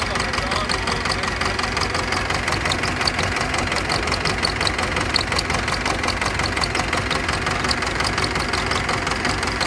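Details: Pettibone Model B-66 diesel lift machine that sat under 8 feet of hurricane floodwater. Fuel, injectors, hydraulic oil and controls were serviced. It starts hard and idles rough, with uneven diesel clatter that stumbles instead of holding a steady beat.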